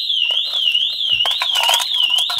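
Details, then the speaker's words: Mercedes E-Class with aftermarket keyless-theft protection: shrill siren warbling about every half second with no engine running; despite the original key the add-on alarm trips and the immobilizer blocks the start. "dann werdet ihr sehen wenn ich die karte bei habe kann ich trotz fahrzeug eigene schlüssel das auto nicht daten der alarm geht an das auto lässt sich nicht starten"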